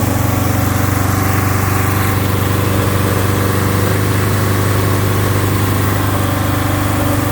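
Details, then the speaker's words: 1971 Alfa Romeo 1750 GTV with manual transmission on a cold start: a steady, even idle sits a little fast with no knocks or misses; the high cold idle dropped later and may need adjustment. "it's running relatively smooth idle was a little bit high because the engine was cold but uh it it will need to be maybe adjusted"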